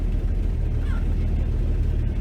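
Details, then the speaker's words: 1966 Dodge Dart GT, Slant Six 225, test drive in reverse after timing was set; deep flat drone that never picks up with throttle, bogging; owner suspects timing off or a carburetor/accelerator pump fault he may have caused. "yeah it's already bogging again get here i'm just gonna park it because it's already bogging here so the timing seems a little wacky"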